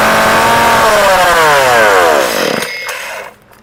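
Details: Shindaiwa 488 chainsaw powerhead, no muffler, no bar or chain, cylinder not scored: loud raspy unmuffled two-stroke buzz revving then falling away as it shuts down; starts easy, runs great.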